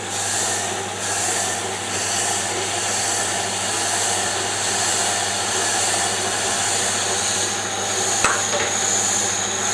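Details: Diamond grinding wheel on D-bit/Deckel-clone cutter grinder, dressed against kerosene-wetted oil stone, wheel had face runout: high hissing grind pulsing about once a second, cutting intermittently until running true.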